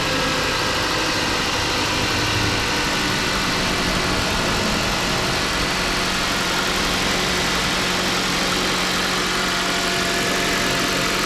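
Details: 2011 Mazda CX-7 after used engine install and coolant refill, running to burp the cooling system: steady even idle with a smooth hum, no knocks or misses; codes later present for MAF circuit, intake temperature and crank sensors.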